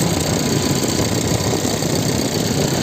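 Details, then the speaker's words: Hyundai i30 turbo at idle: rapid rough loud knocking as radiator fan blades strike ice packed in, engine undertray missing. Finding: radiator fan blade striking ice. "i30 приехал турбовый что-то стучит вентилятор посмотрели тоже он стучит а там лёд который вентилятор задевает все потому что"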